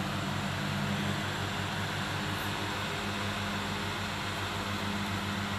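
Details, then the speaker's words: Electric fan that howled and stopped spinning, after disassembly and cleaning, tested at speeds 2 and 3: steady, even airy rush with soft low motor hum; howl gone, normal running. "แค่ฟิวมีเสียงเงียบเลยครับไม่มีหอนไม่มีอะไรละเสียงหอนก็หายไปแล้วครับแล้วก็ทำงานปกติ"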